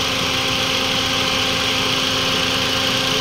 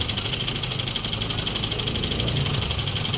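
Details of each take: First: Toyota Vios 2NZ petrol engine at normal, steady idle after the fix: rough idle and stalling were caused by a vacuum leak from a brittle purge valve hose at the intake manifold. After reseating the hose, it idled stable for about an hour once warm. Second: Toyota Vios 2NZ with idle dropping and stalling, throttle body already cleaned and no misfire: petrol engine idles slightly unevenly with a steady high hiss, pointing to a vacuum leak at the PCV hose.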